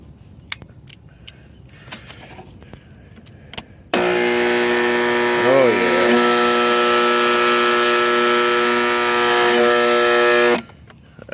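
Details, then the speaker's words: Used Intex sand and salt system pool pump, bought used last summer when it was already a little loud, switches on into a loud, steady droning howl with a rough edge; it died after about two minutes: worn pump motor bearings. "what you would call bad bearings um I I knew the pump was a little loud last summer when I turned it off but I didn't think it was that bad but I it ran for about two minutes and just took a crap on me"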